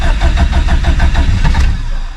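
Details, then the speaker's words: Subaru STI with stock OEM EJ257 longblock, cold about 66° morning, mechanical fuel pump with no lift pump: cold crank with uneven chugging pulses about six a second, stumbling and popping before it half catches; cold-start tune needs work. "well it's safe to say I'm going to need to work on the cold St"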